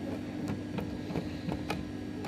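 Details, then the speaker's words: Silhouette Cameo 3 cutter, disassembled, loading/unloading roller drive: irregular sharp clicks and snaps over faint motor hum as the roller gear jams and locks up when the shaft is turned; fault jams occasionally going forwards. "I don't but don't think there is a clutch in it but it does appear to be getting jammed in the movement brought up out there and then back this way as well you could hear it see it locking up"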